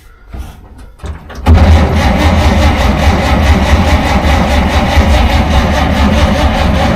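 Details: 1947 Dodge, carburettor engine reluctant to start after fuel supply problems; choke jiggled then put on fully, linkage faulty with butterfly stuck: starter churns steadily, engine catches only weakly without picking up; flooding on full choke, cranks without starting.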